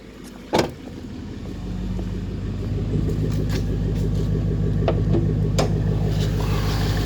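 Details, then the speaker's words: 2011 Mustang GT with 6-speed automatic at 112,000 miles, hood open, spark plugs recently changed: a clean start, then a steady, even V8 idle with a deep rumble and no knocks or misses; the engine sounds healthy. "So yeah, not too bad for 112,000."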